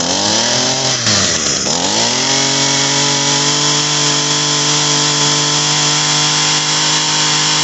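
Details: Echo SRM-225 two-stroke trimmer that would not rev up, after cleaning the clogged, oil-saturated muffler and cylinder port, some smoke expected; buzz climbs cleanly from a blip then holds a steady, even high rev with no surging or stumbling.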